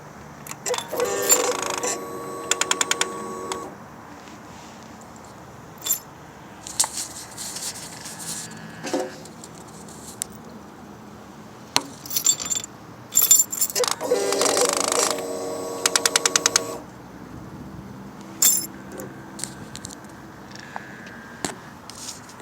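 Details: 2011 Suzuki GSX-R 600 with aftermarket exhaust, key on, engine off: bursts of fast metallic clicking with small motor buzz, code C28, FI light and power loss; blocked exhaust servo, not the STVA.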